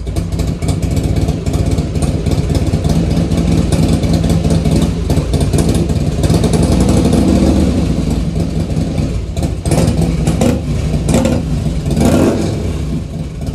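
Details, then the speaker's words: Carbureted 2003 Harley-Davidson Heritage Softail started after sitting about five months: loose, lumpy V-twin idle with throttle blips that rise and settle cleanly; it sounds good. "she sounds good though huh"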